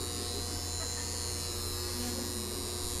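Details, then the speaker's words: Lighting switch bank magnetic contactor: constant loud electrical buzz, steady low hum with harsh fizz; owner suspects rust on the movable iron core or a loose spring/coil; cause unconfirmed. "So kaya siguro maingay ito guys dahil yung kanyang tinatawag na movable iron core, baka may kalawang na guys, o baka yung kanyang spring, yung tinatawag na electromagnetic coil, baka maluwag na rin siguro."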